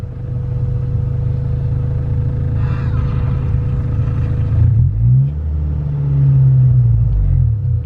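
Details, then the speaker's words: Stock 2000 Honda Civic (stock injectors, fuel lines, pump) run on E85 it isn't built for: air-fuel ratio maxing at 18, running extremely lean and low on power; deep uneven rumble, revs rise sluggishly and stumble, a lean misfire after stalling. "what we did learn from this is that your car will run with 85 if it's not meant for it but it'll run really badly low on power extremely lean"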